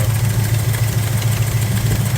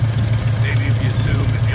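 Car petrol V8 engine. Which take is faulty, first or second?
second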